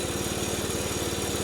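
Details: Arctic Cat F120 with Yamaha 120cc four-stroke after water in engine, oil change, carb cleaning, new fuel line, inline filter, fresh gas and cleaned tank: quick, even firing pulses at smooth, steady idle with no misses or knocks.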